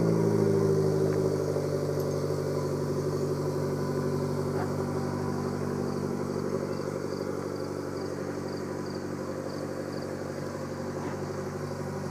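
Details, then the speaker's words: 2014 Chevy Sonic LT turbo hatchback, cold start, day after a new stainless ZZP cat-back exhaust was installed: steady idle rumble with a faint, regular puffing tick; owner attributes it to a small exhaust leak he plans to weld. "has a little exhaust leak that's what that sound is I gotta get down here with the welder"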